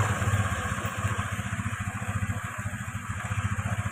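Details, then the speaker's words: Motorcycle after replacing worn valve guides that caused smoking and rough noise at valves: steady even low idle thump, no knocks; no more smoke, engine smooth. "kita lihat sudah tidak berasap dan di sini mesin sudah halus"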